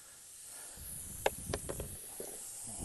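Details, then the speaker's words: Tire on a 2022 BMW 530e with a machine screw found in it, before plugging. A continuous airy high hiss with handling clicks as air leaks out of the puncture; tire air leak. "All right, You can hear the air leaking out of the tire."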